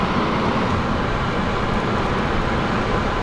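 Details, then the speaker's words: AC blower run on a higher speed through a scan-tool active test in the AC ECU, after being stepped up from speed 1: a steady, even rush of air and a low hum with no rattle or squeal, so the blower is working normally. "You can see the blower speed has progressed, and you can hear the fans too blowing a whole lot louder."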